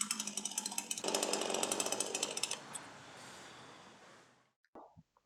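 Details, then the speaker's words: Sharp Garuda CD52H two-stroke chainsaw after choke-in recoil start, chain brake released and throttle applied: high steady buzz rising as throttle opens, then winding down smoothly to stop; normal revving. "Now push the choke back in and give firm pulls to the recoil starter. release the chain brake and apply throttle."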